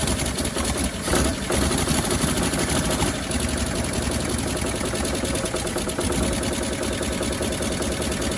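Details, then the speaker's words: 1957 Chevrolet Bel Air after sitting 30 years, gravity-fed fuel, idle raised slightly: rough idle with rapid sharp puffing tick over the rumble; massive exhaust leak on one side, otherwise running fairly well. "actually running pretty good the massive exhaust leak over here oh my god"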